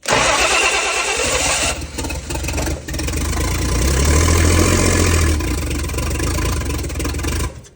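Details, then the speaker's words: Turbo 170 Slant Six with Atomic EFI that previously started: starter grinds and labours with sputtering firing that never settles, cranks but won't start; starter hot, three batteries tried, trunk battery voltage drops; cause unconfirmed. "I'm going to set this Atomic system on fire why will this thing not run now yes it started like crap before but it always started and then it ran pretty well and now it's just full of hate and the starter's hot"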